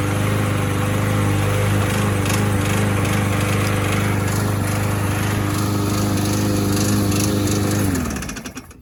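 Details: Abused trash-found Troy-Bilt mower with blade, missing air filter, almost no compression, oil topped up with 20W50: steady single-cylinder drone without misses, winding down after shutoff; surprisingly runs well, carburetor still due cleaning.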